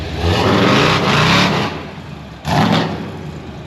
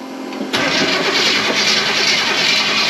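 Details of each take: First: Supercharged (blower) V8 C10 after fixing vacuum leaks, timing and starter issues, first drive; loud deep throttle blips rising and falling cleanly with no knocks or misses, louder than before. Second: Supercharged V8 Chevy C10, in neutral, after the fuel pump suddenly shut off (suspected fuse or ground problem): starter cranks with uneven churning, no cylinder catches; crank-no-start with no spark despite distributor plugged in and plenty of fuel.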